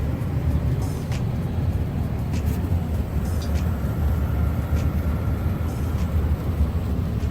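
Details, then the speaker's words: Trane furnace after replacing a moisture-damaged part and reconnecting wiring: deep steady low rumble without rattles, squeals or surging; runs smoothly, repaired. "Everything is running. You can hear this baby purring like a new kitten."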